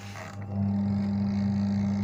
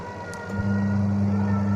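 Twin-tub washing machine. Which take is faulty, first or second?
first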